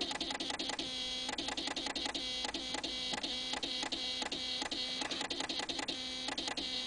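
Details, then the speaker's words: 2000 Saab 9-3 manual, key in on position, engine not running: fast uneven relay clicking, two or three a second, with battery and oil lights flickering; at start position it goes quiet and won't start; cause not found. "i'm going to turn the car to the on position you'll notice the battery and the oil light flickering with the clicking of the relays"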